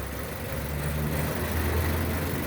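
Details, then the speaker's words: 2006 Nissan Y11 AD QG15 e-throttle at idle, cam phasing commanded by scan tool from 10 degrees advance to 0: low hum drops and settles to a new note as vacuum stabilizes; idle speed change with cam phasing. "Right, and you can hear the idle change, but also watch the pulse width on the signal changing."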